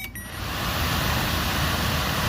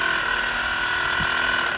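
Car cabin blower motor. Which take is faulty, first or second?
second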